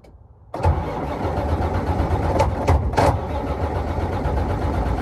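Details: 2006 Freightliner Columbia, no dash diagnostic check at key-on, ECM fuses checked; owner suspects a chafed wire or bad connection. Strong steady cranking about three and a half beats a second, never fires; cranks but won't start.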